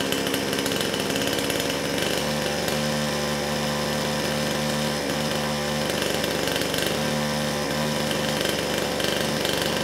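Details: Kraftworld KW-5800 58cc Chinese two-stroke chainsaw, previously low compression after straight fuel, now with the new carburetor fitted, choke opened: buzzing at high steady revs with a raspy, even note and no stumbling; runs properly.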